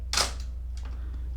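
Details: Mamiya 645 medium format film camera, film loaded and advanced to frame one: one crisp mechanical snap, then a softer return click over a low room hum. The shutter fires cleanly and normally.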